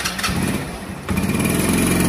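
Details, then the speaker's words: Dayang motorcycle, possibly soaked in rain: after starting it sputters and stumbles, won't take load, nearly dies then revs raggedly; the CDI was very hot with water inside, and replacing it fixed it; misfiring and stalling from a faulty CDI. "দেখেন গাড়িটা start হওয়ার পরে গাড়িটা ভটভট করতেছে। গাড়িটা load ছড়ি দিছে। এটার প্রবলেমটা হচ্ছে হল গাড়িটা লোড নিচ্ছে না। পিকপলে ফটর ফটার আর বন্ধ হচ্ছে। এটার প্রবলেমটা হল সিডি।"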